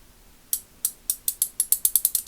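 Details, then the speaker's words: Ace Hardware Professional 3/8" drive ratchet: crisp clicks speed up as the handle swings but fumble and slide in spots, because worn flats on the ratchet gear and a damaged pawl, likely from excessive torque, let the pawl skip. "Right there, you can hear it like kind of, it sounds almost sliding."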